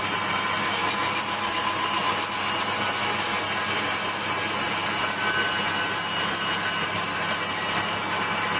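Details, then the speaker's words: Waldown/Dumore tool post grinder on a lathe internally grinding a bronze bush: steady high hiss of the small wheel in the bore with a faint uneven edge; contact tighter at one end, wheel brought in until it just kisses. "generally i'll fire it up and then adjust it bring it back so it just kisses the job and you hear it uh pouring with rain again then you hear at um just touching the job you know that's where you lock it down"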